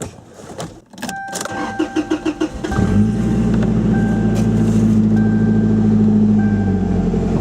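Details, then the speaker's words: Toyota Tacoma 2.7L 3RZ, 2-inch exhaust, cool day, stock muffler cut off: starter cranks briefly, engine fires to a loud, raw, throaty idle with heavy low drone; open exhaust, no muffler. "Alright, so that's pretty cool. That's what the truck sounds like with the muffler cut off."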